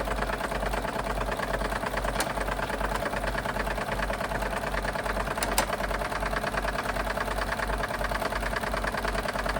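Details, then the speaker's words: Wilesco D32 toy steam engine on its first run after restoration: a steady, even chuffing beat of about three strokes a second with no knocks or rattles, gurgling; normal running. "This is a really early days run, but it don't sound like like a bad engine to me. No rattles. You can hear it gurgling."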